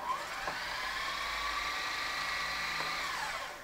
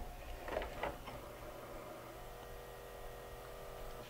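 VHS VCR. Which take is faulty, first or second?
second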